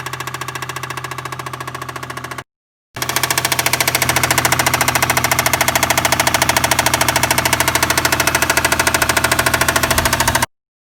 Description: Has good compression but still making this loud tapping noise.